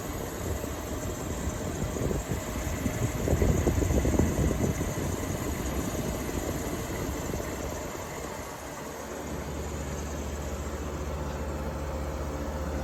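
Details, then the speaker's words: 1953 Fedders Weather Bureau window air conditioner, Tecumseh compressor, about 4,000–5,000 BTU, drawing about 475 watts, blowing about 40 degrees: steady low hum and soft fan rush, even and quiet, no rattles; quiet enough to sleep to. "So you can easily sleep to this. No problem at all."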